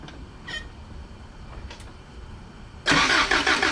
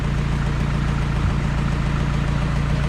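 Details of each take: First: Toyota 22R engine cranking during a compression test with NGK plugs removed: the starter turns steadily for about four seconds, with even beats around three per second and no weak strokes. Readings of 160, compression fine. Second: Engine idling after a compression test, running rich. A steady low rumble carries a light rhythmic tick that follows rpm. The cause is unknown and lifters are suspected: ticking at idle.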